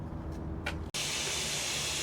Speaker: now that there's no cars here and uh my pumps aren't going you can hear a hissing sound since the hissing sound is at 60 PSI you know a soap spray won't find the the bubbles coming up